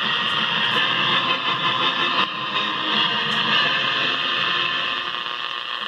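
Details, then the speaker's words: 1950s Bulova Fidelity 300 All American Five AM tube radio, thrift find under quick repair: harsh steady hiss and buzzing crackle, no clear station; fluorescent-light interference in the room swamping reception. "a lot of noise from the fluorescence in here not the greatest choice for RF"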